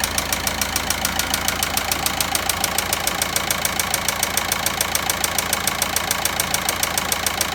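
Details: VW Passat 1.9 diesel at idle: sharp, very even ticking about three and a half per second over the idling diesel; engine knock, source not yet traced.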